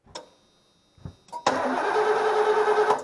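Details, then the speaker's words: 1989 Ford E250 Econoline van, crank no-start after sitting: starter whirs steadily but never fires; coil tested with power in but no output, so a failed ignition coil, possibly cracked internally by condensation freezing. "nothing so there's power in no power out so it's bad coil"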